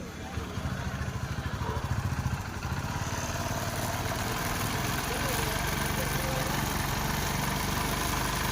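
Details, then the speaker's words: TVS XL100 BS6 that starts but has no pickup, with no OBD faults stored. Fuel pressure gauge flutters around 30 instead of holding a steady 40. The small engine holds a flat, slightly uneven idle and won't rise even at full throttle. Faulty ECM. "நமக்கு வந்து வைப்ரேஷன்லேயே இருக்குது. Full throttle கொடுத்தாலும் வண்டி ரைஸும் ஆகலை."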